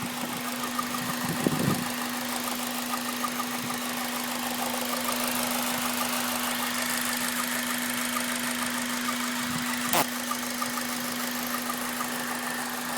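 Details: Honda Civic Type R at warm idle, noise only after ~10 minutes warm-up, present ~7k miles, unchanged by oil change: loose uneven metallic rattle; fixed, caused by the timing chain tensioner.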